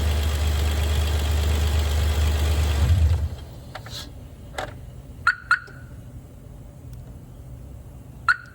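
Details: 2011 Hyundai Veracruz on a cold start: a heavy low drone at cold idle cuts out after about three seconds, leaving scattered sharp ticks; cause unknown; unidentified cold-start engine noise.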